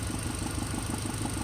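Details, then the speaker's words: VW/Audi secondary air injection system at steady idle: vacuum applied to combi valve lets exhaust pulses out the tube; after vacuum release, quick even exhaust puffs keep pushing through, showing the combi valve sticking open and slow to close. "more vacuum but you can hear the delay in second the air shutting off or at least a combi valve closing"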